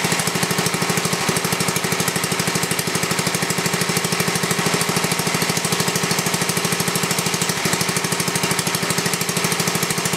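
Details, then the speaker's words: Briggs & Stratton 11 hp flathead (model 25), first run in a year after cold night, carburetor set richer: crisp even single-cylinder beat about three pops a second, steady; runs smoothly, burns a little. "couldn't get a good connection there that's a pretty good run engine there uh like I said it's the first time I ran it for a while"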